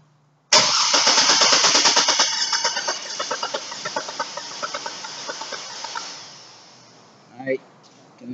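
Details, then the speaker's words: 2002 GMC Envoy 4.2L inline-six, misfiring with a P0305 cylinder 5 code, cranking during a relative compression test with a current clamp on the starter wire: about three uneven beats a second, some strokes lighter. Compression problem audible. "already hear that there is a problem with compression."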